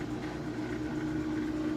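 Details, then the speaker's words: Maytag Bravos high-efficiency top-load washer after a full bearing swap, spinning at full speed while the drain pump runs: steady smooth hum with the pump whirring underneath, no rumble or grinding; normal spin cycle. "Sounds amazing. The pump is also running. That noise you hear is the pump running because in the spin cycle it spins and drains."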